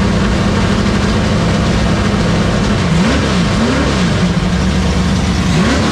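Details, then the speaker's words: 1972 Sport Wagon drag car V8, with an electric water pump running before the drag strip: loud, steady rumble with sharp throttle blips rising and dropping back cleanly; sounds good, normal idle. "Send it. Whoopa. Whoopa. Dude, sounds good. Yeah, it does."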